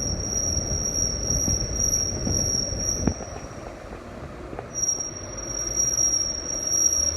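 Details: Vehicle (Flex) while rolling: a steady high, thin squeal over the rolling rumble that drops out briefly and returns; wheel squeal, cause not evident.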